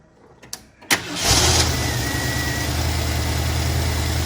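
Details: 1973 Mustang convertible 302 V8 with 2150 two-barrel carburetor and automatic choke, cranked at half throttle: brief crank, catches at once, settles into a steady raised idle with an even rumble; normal cold start on choke.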